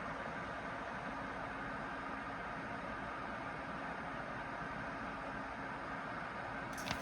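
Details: Acmemation 120mm 4-pin PWM PC case fan (2700 rpm max) at full speed, moving paper: steady rushing air with a faint constant hum, no ticking or rattle; healthy fan.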